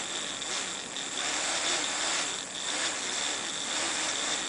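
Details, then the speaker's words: fischertechnik model propeller motor driven by BeagleBoard Classic with Python: high whirring buzz swelling and sagging about once a second instead of holding steady; motor speed fluctuating, suspected code or construction/wiring problem, unconfirmed. "going to pushing it anywhere in any direction but you can clearly hear to change a propeller speed and that's not good I don't like that"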